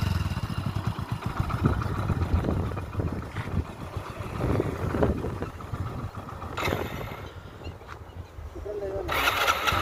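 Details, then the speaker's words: Passion Pro motorcycle after an engine rebuild and cleaning, following a roadside stall: single-cylinder putters at a steady, even idle with no knocking or rattling and no smoke; healthy after the repair. "Smoke ఏది రాదన్నమాట మనం engine చేసిన తర్వాత ఎందుకంటే cutting పద్ధతి అయితే clean చేశాం కాబట్టి ఎలాంటి ప్రాబ్లం అయితే ఏమీ ఉండదు బండికి అయితే సూపర్ అంటే సూపర్ సెట్ అయిపోయింది"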